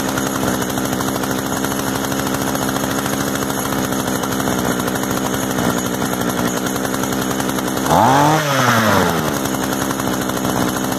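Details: Used Echo gas string trimmer, running after the switch was moved off stop and choke turned off, idle being adjusted: small two-stroke buzzing at steady high speed with a brief throttle blip rising and falling cleanly; runs healthy.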